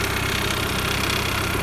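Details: Audi/VW 1.8T AEB petrol engine at idle: fast, light metallic rattle, clearly from the chain tensioner side; owner suspects a failed chain tensioner, logged as hydraulic lifter knock.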